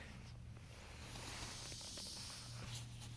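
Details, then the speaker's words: Neglected circa-1998 Yazoo YTKC22 three-wheel mower tire: steady airy hiss swells in after about a second and holds, air rushing freely through the valve with the clogged valve core removed. "that's uh that's what it sounds like with no valve stem in it"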